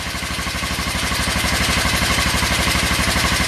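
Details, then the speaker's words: 1996 Kawasaki Vulcan 500 after warming the engine with a heat gun at about 28°F: an even, loping V-twin idle with both cylinders firing steadily, no misses and no smoking. The oil is black and due for a change. "as you can hear it is running not really smoking or anything so [Music] running on both cylinders"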